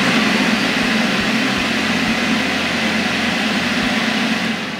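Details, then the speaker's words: Mopit mini floor scrubber's vacuum motor, heard when the vacuum switch is flipped on, gives a steady, even rushing whir with no rattles, surging or squeal; this is the normal sound of a healthy suction motor. "when you flip the vacuum switch does the vacuum motor turn on it should sound like this"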